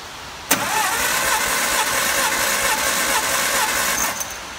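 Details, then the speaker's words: 1954 MG TF four-cylinder, cold and not yet started, cranked on the starter for a compression test on cylinder one, about 118 psi: steady starter whirr about three and a half seconds, even beat, no uneven stroke; normal even cranking. "I'm going to run compression on all four of these cylinders for you the cylinder one cold engine has not been started"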